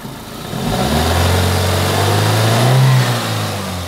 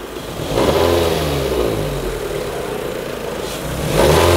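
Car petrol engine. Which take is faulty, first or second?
second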